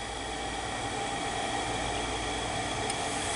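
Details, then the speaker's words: Shibaden (Hitachi) SV-510U half-inch reel-to-reel video tape recorder, capstan belt missing, tape sensor switch held in to simulate tape: soft steady hiss and faint even hum, no catching or stalling; transport runs normally. "no you know it runs duh forgot about that that's solved"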